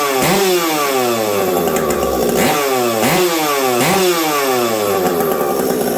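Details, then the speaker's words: Stock Husqvarna 372XP chainsaw with UFO pipe, cold winter day, not run for a while: revs up and drops back about every 1.5 seconds, burbly and soft at the top rather than crisp; running rich. "what I noticed is it's rich in fact I'm probably gonna put this thing in the wood the way it is"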